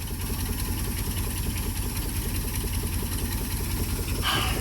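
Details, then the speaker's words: Auction-bought Ford with Holley carburetor, first start; uneven, lumpy idle with irregular chuffing and a possible knock; oil present and looks okay; cause not determined; rough running. "Oh, I'm so happy it runs. I don't It doesn't run very good. Yeah, it sounds kind of wonky. And I don't know, Fords, but it sounds like something's knocking a little bit."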